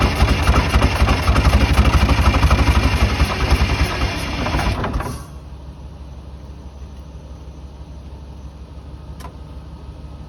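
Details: 1982 Silver Eagle tour bus, Detroit 6V92 two-stroke diesel, parked 6–10 years: loud rapid beat dropping to steady lower idle, smooth rhythm, no death rattles; normal idle.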